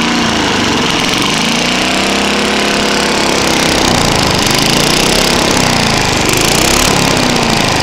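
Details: Trashpicked Tecumseh lawn mower engine, first start after sitting many years: loud, ragged, uneven roar with wavering beat; worn-out engine with bad head gasket, carb and piston, burns a lot of oil.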